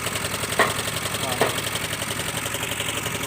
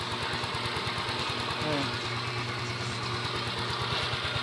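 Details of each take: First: Yamaha Mio Soul i 125 scooter, about 4 years old, cold start in the morning: steady, rapid metallic knock over the idle that fades once warm; head and cams to be checked, crankshaft bearing knock suspected. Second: Yamaha Mio Soul i 125S scooter, about four years old, idling smoothly and quietly after the engine was dismantled and rebuilt; the earlier cold-start ticking noise is gone.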